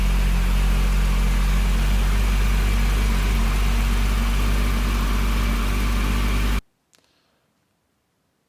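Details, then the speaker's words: BMW E34 M5 with S38B36 engine, just after a timing chain DIY without removing the head, idling while the cooling system is filled and burped with the heater on full: a deep, smooth, even idle with no ticking or chain rattle, normal. "make sure the heater was on full blast and lighting the car really idle and it made no noise whatsoever"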